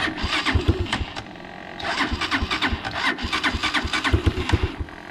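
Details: Unidentified, probably Chinese four-wheeler, cold day, after new fuse fixed wiring, warming up before oil change: starter churns briefly, engine catches and settles into even, slightly lumpy choke idle; normal cold start.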